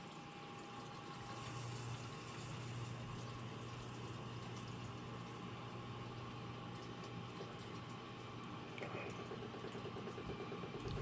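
Steady low hum with water trickling through the pipes; the circulation pump is running smoothly and evenly.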